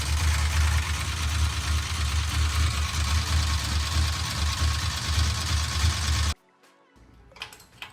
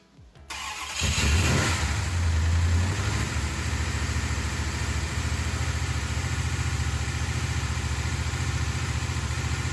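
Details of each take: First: 1968 Dodge Charger with a used big block 440, with pushrods already changed but lifters not: a steady idle with quick, even ticking, as the crew tries to find which lifter makes the noise. Lifter chatter. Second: 1968 Dodge Charger with a big block 440, first start after valve train repairs and fuel pump priming. Fires, flares, then settles into a smooth, even idle with no top-end ticking; normal idle.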